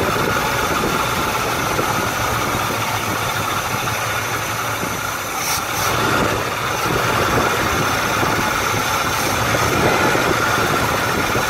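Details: Chevrolet Malibu Classic, first start in ten years, with its electric choke being set: steady idle with a constant background drone and no stumbling or surging. Normal idle.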